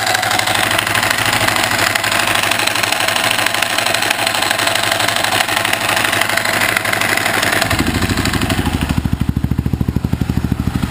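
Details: Husaberg FE650e single-cylinder engine thumping at idle with a rapid metallic rattle on each firing pulse. The cause was a loose crankshaft gear; tightening it with Loctite made it run smooth.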